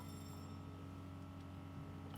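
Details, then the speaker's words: BMW X5 air suspension compressor running, probably for about 30 seconds, to fill replaced rear left air spring (left rear had been dropping): quiet steady low hum, constant pitch, no rattles or surging; normal. "so the compressor excuse me is running you can hear it probably it's going to go for 30 seconds there"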